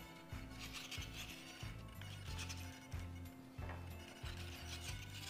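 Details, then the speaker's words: Hobbyzone Sport Cub S 2 RC plane, low stuttering servo buzz in short bursts as control surfaces twitch; normal digital servo sound from the SAFE/AS3X stabilization working. "the digital servos can make that odd buzzing sound but this is completely normal that is the safe and as3x providing"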